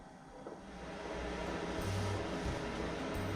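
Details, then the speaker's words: Webasto Air Top 2000 STC van heater starting during high-altitude adjustment: fuel pump ticking, steady fan hum, soft low rumble building as burner lights, even without knocks or sputter; normal combustion start. "the heater turns on like normal you can hear my fuel pump starting to push fuel into the heater now the heater is turning on here that the combustion is"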